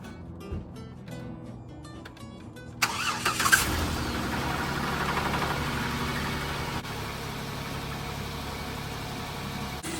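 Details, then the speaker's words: Engine after intake manifold gasket replacement, coolant refilled and burping: quiet ticking, starter catches, engine settles into steady even idle, no leaks; belt slightly squeaky, likely coolant on it; normal start and idle. "Looking bone dry, not seeing any spilling gas in there. Engine sounds good."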